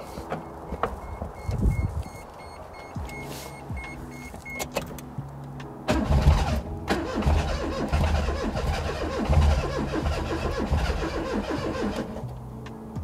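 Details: Daihatsu Mira with custom swapped engine, first start attempts after bay reassembly: starter whirs, engine turns over steadily for several seconds without firing; it briefly started and built oil pressure earlier.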